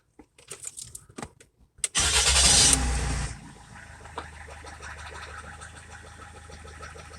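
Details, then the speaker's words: Rover 75 at idle after start, with a light regular tapping from the top end. The cause is not identified. "seems a bit tappy show you what i mean"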